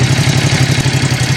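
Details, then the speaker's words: Ducati SuperSport 939 on its roughly 5-year-old battery, which read 13 V, 12.5 V while cranking and 14.2 V running: this time it cranked fully and started, idling with a quick, even low thrum, no misses or rattles. "And it obviously didn't throw that error where it just didn't finish cranking."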